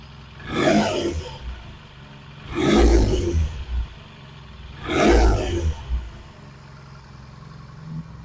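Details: 1968 Triumph T100C twin after a cold start: three short throttle blips about two seconds apart, each dropping back to a quiet, steady idle; healthy, no oil leaks, charging okay.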